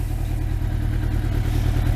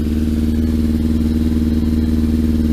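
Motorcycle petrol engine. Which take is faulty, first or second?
first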